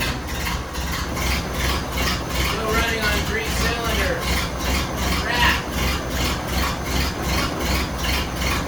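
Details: 1931 Ford Model A pickup after spark plug change: lumpy idle with rhythmic stumble two to three times a second, one cylinder dropping out; misfire because third spark plug not fully seated.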